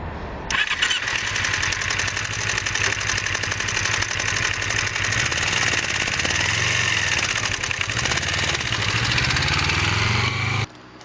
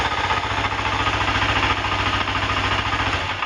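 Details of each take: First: 2006 Kawasaki Ninja 250R engine running with a fast, dry ticking on top that sounds like it needs a valve adjustment; valves were fine, but the cam chain was extremely loose, and cleaning the cam chain tensioner is the fix; this is before cleaning. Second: 2006 Kawasaki Ninja 250R at idle in neutral, choked, after cleaning the cam chain tensioner, which had left the cam chain extremely loose: steady even putter, and the earlier valve-like ticking is gone.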